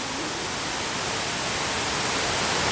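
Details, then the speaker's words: Stripped-down Umarex Legends Cowboy Rifle (Winchester 1894 replica) charged with CO2: steady, even hiss escaping around the actuating valve until it tails off; owner suspects the valve assembly's black O-ring is the leak. "yeah I don't know whether you can hear that but it's coming out around there definitely"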